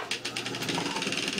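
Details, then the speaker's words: Homemade wooden disc sander without bearings, 10 bolt as shaft with nuts and washers, motor driving disc while grinding birch: light fast metallic chattering from washers separating and rattling at the disc mount; otherwise running smooth. "So there is a little bit of chattering coming from this, and what it is, there's some washers separating where it hooks into it, and so you can hear them washers rattling a little bit, but everything's running nice and smooth,"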